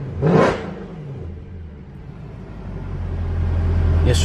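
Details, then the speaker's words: Mercedes-AMG C63 (W204) V8 after maintenance, one throttle blip: deep, even burble swelling smoothly as throttle opens, with no knocks, misses or rattles; car running good. "But yeah, man, car running good. Let me hit that thing one time so y'all can hear it."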